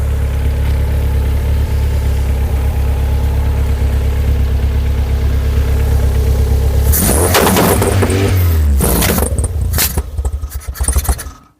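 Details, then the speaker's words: Rover K-series engine swapped into a Skoda Estelle 120, multiple carbs: perfect at tick-over, but on throttle blips it stumbles and spits back through the carbs; owner suspects one carb massively weak, intermittent spark loss suspected. "Definitely not happy, spitting back through the carbs now as I expected."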